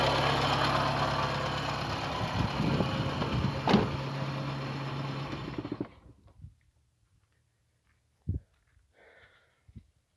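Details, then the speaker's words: VW Gol G3 petrol engine idling with a rough, whirring bearing-like drone, an odd noise heard when started, before shutting off; traced to a worn water pump bearing. "Como se fosse um rolamento, aquele negócio velho, sabe? Uma zoadinha estranha."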